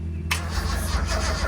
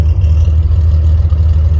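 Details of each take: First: 1972 Datsun 240Z, L24 engine, long abandoned, spark plugs in: sluggish, labored starter churn with slow uneven turnover, run off a lawnmower battery with a very bad battery connection. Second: 1972 Datsun 240Z L24 inline-six revived: even, steady low rumble with no knocks, misses or ticks; running cleanly.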